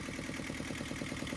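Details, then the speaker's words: Yanmar 2GM20F two-cylinder marine diesel in a 1991 Hunter 30, just after fitting a new raw water pump with new hose clamps and tensioned belt: quick, steady, even idle chatter, pulley spinning true with no wobble; normal idle. "all right the moment of truth so I have the two bolts in I have the belt tensioned I have the new clamps on both ends of the hose and uh we're ready to fired up and see if we have a true spinning no wobble pulley let's hope for the best it's a huge difference so we don't have the wobble"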